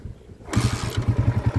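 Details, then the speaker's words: Honda TMX 155 tricycle after timing gear, clutch damper and clutch lining replacement for meow-like engine noise: fires up into quick even beat with no whine; normal idle, noise gone. "Yun. Okay, so yan yung andar niya. Revolusyonan natin ng naka-neutral."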